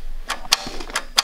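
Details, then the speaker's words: John Deere F1145 diesel, cold day, unused since July 2017 because of a bad starter, after glow plugs: sharp dry clicks about every third of a second with no cranking, as the weak battery is dead. "Yeah, I can see that thing moving in there. Battery's dead. Hear it? Yeah, the battery's dead."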